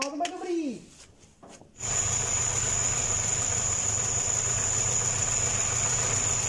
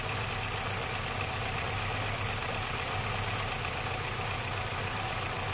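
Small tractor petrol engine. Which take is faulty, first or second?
first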